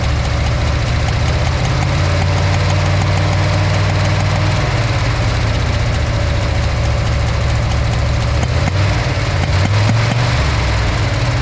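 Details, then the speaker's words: Backfiring V8, warm, run with the number 6 spark plug wire disconnected and taped: heavy, uneven, lumpy idle with occasional stumbles; no difference from connected, so cylinder 6 is not confirmed as the cause. "So, tested number 6, as you saw, connected and disconnected. Didn't notice any difference."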